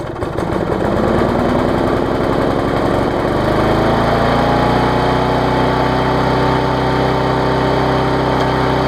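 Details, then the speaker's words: Yard Machines push mower, after a tune-up (auto-throttle straightened, carb diaphragm, air filter, oil change, blade sharpened): stumbles at first while burning off excess fuel, then settles into a steady, even high-speed run. "so it was running it had a quite a bit of fuel to burn off there admit it a little bit of raw exhaust out there"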